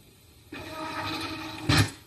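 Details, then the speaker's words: 3D printer (Printrbot Junior) stepper motor whirs steadily then screeches and scrapes as the axis jams at its end, because the Y-axis was wired backwards and moved in the wrong direction. "You could hear the motor kind of screeching and moving and trying to move it over there. The reason why was the y-axis in the printer bot Junior, and maybe some other models too, is actually wired backwards."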